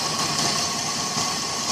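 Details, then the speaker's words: 2000 Toyota Avalon, new mass airflow sensor, sputtering and power loss: hissy, uneven idle with irregular surges, hunting and wanting to stall; rough idle, owner suspects weak fuel pressure, fuel pump or filter, unconfirmed. "I can wants to stall out a little bit yeah I don't know what will be causing it to run like this maybe it's a weak fuel pressure"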